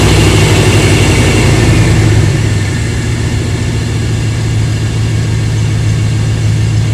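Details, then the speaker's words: 1997 5.7 L 350 Vortec truck with factory exhaust manifolds, started after water pump replacement and coolant refill: deep, steady V8 idle with even low rumble, no knocks, squeals or ticks; normal healthy idle. "y'all let me know in the comments what y'all think I think it sounds good it's a 5.7 350."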